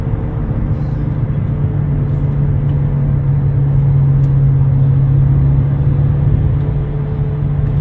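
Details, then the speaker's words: 2009 Nissan Altima 2.5 CVT at about 40–60 mph: loud steady low growl over road noise; worn driver's-side front wheel bearing, replaced along with the failing CV axle. "you might have to replace the wheel bearing if you're hearing like a real loud growling noise in your car this one was making a really loud noise at about forty to sixty miles an hour"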